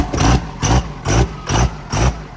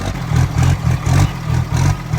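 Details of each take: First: 1700 hp twin-turbo 3rd-gen Cummins drag truck, first start after build: loud uneven chugging about two beats a second, lumpy, whole truck shaking at idle; rough running, rail pressure sensor unplugged and not reading rail pressure, air in system suspected. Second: 1700 hp twin-turbo 3rd Gen Cummins drag truck after reconnecting the unplugged rail pressure sensor, third start: repeated quick revs about twice a second, deep and even with no misses or stumbling; running smoothly, way better than before.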